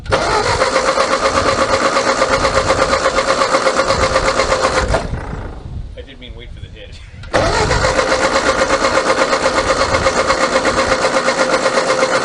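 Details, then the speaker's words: 1939 Ford 9N tractor with used rebuilt engine, idle 25 years: starter cranks steadily about three turns a second, pauses, cranks again without firing; spark that was present is now gone, possibly bad switch contacts, power to coil unchecked. "o ten seconds ago it was we have a brilliant spark and now it's not a damn thing i see nothing"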